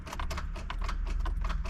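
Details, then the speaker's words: 2005 Honda Odyssey, key cycled: quick, sharp clicks about six times a second with no cranking as the starter solenoid tries to engage; owner concludes the starter needs replacing. "just clicking and if you cycle the key enough times come on baby well now it's not even clicking but yeah it's not even clicking now so it's a starter needs a starter um that clicking noise is the starter solenoid on it trying to engage"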